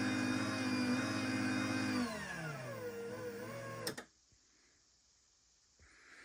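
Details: LiftMaster 85503 garage door opener from 01/2021, new in box after four years, run with a programmed 877 remote; steady even motor hum for about two seconds, then smooth wind-down and stop; normal motor run.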